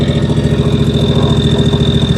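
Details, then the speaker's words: John Deere 757 Z-Track zero turn, after new starter, dying when throttled; runs in a quick even beat only after a shot of 50:1 fuel into the intake with new air filters, then dies; suspected fuel starvation. "Bleh, just dies. I think we got a fuel issue."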